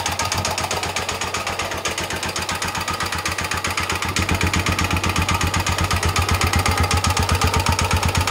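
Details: Restored Honda XL250 single-cylinder at idle after reassembly: a steady, sharp knock at about four per second rides over the idle, debris found in the oil; something loose inside, cause not yet clear; engine knock.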